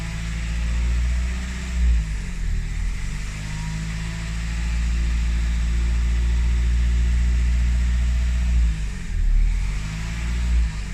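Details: Renault 1.5 dCi diesel after timing belt and water pump replacement; as revs rise from idle, an annoying uneven drone appears around 1500-2000 rpm; cause not pinned down.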